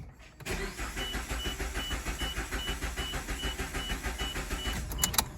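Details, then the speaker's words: Multicylinder petrol engine with a dead misfire, cranked in clear flood mode: starter turns at a steady even beat without firing, suggesting compression is not the problem. "clear flood mode there you can hear the even crank so it's not likely a compression issue that you're actually dealing with right"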